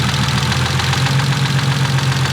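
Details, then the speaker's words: BMW E36 first start of freshly built swapped engine, fresh oil, after break-in: steady idle with only a faint light tick under a smooth low hum; earlier lifter noise now much quieter. Normal idle. "That sounds way quieter. It is way quieter. Yeah, they got way quieter. That one was being a real pain in the butt, dude. Idle is quiet as shit now."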